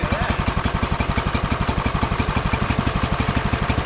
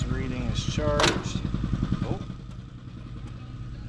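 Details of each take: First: John Deere 110 mower sat about 10 years, just started after longer cranking: even, steady chuffing around four beats a second with no misses or knocks; idling smoothly and running fine. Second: John Deere 110 mower, sitting about 10 years, cranked off a jumper: starter churns the engine at a steady uneven rate, about two and a half turns a second, but it never fires; gas smell, owner suspects no spark; crank no start.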